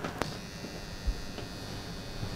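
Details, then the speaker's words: Transformer that was taken apart and reassembled with some laminations left out gives a loud steady low mains buzz with a rattly edge when powered; the loose core laminations vibrate. "this transformer is rather noisy because i did take it apart and put it back together couldn't get some of those laminates in so it's a little bit vibratey"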